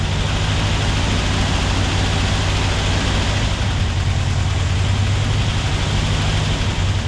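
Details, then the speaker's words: A freshly rebuilt 90 hp air-cooled Porsche 356SC engine at first start gives a low, even, rumbling idle with steady pulses and no misses or knocks. Fuel leaks were found at the fuel lines on both sides. "we're going to hear a 356 roar to life in all of its 90 horsepower glory"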